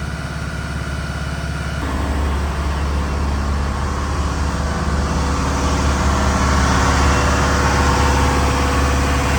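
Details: Diesel fire pump engine on weekly half-hour test with isolation valve closed, giving a steady, even beat and firm low rumble that holds smooth throughout; running normally.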